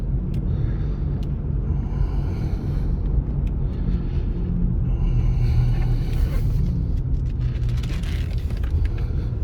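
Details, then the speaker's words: 2002 Jaguar XJ8, 127,000 miles, on a test drive: a steady, heavy low roar under the whole drive. The driver suspects a bad tire, wheel bearing or driveshaft; engine and transmission seem fine. "It's smooth and powerful, but oh, it makes a terrible roar. Yeah, terrible, terrible roar. Doesn't sound good at all."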